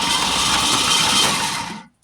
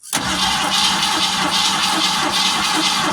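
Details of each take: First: 1971 Ford Torino stored 25-30 years in a garage, new battery, Marvel Mystery Oil sprayed in: starter spins the engine briskly and evenly for a couple of seconds with no binding or knock; engine turns freely, not seized. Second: Original 1971 Ford Torino stored 25–30 years, fuel starved: brief crank with throttle pumped, then catches on 2-stroke-mix gas poured into the carburetor and runs with a busy, slightly uneven rattle.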